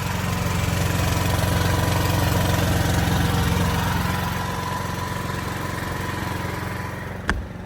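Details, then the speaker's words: Backup generator running at constant speed, heard at its hot exhaust outlet, which is ducted away with metal ducting and much louder than the cooling-air exhaust; even low drone, no surging or rattles, single click near end; normal running. "The actual exhaust comes out here, and that's quite hot. You can hear it's much louder, but you can see that it's ducted back here with metal ducting."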